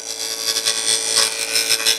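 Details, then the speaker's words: Wood lathe, inside-out turning: even, soft hissing shave with no catches or chatter and no tear-out, the tool riding the bevel cleanly; smooth cut. "if I would shove my tool into it with a lot of force I'd get Tara off the back or if I wasn't riding the bevel just right you should just hear a smoother I can't make the noise"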